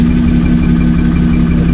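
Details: Car after a track day, idling: steady low drone with a faint rhythmic pulse underneath, unchanged after swapping one cam position sensor; owner plans to replace the other; abnormal engine noise at idle, source unknown.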